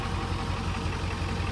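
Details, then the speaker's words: 1997 Ford Powerstroke diesel restarted after sitting a couple hours, fires easily: deep, steady clatter with even low pulses about five a second, no misses or knocks; healthy warm idle. "It's been sitting a couple hours, so see how how easy she'll fire it up. How's she gonna do? >> I'm just gonna tickle it. It'll go. >> Oh my god. That's how you want it to go every time."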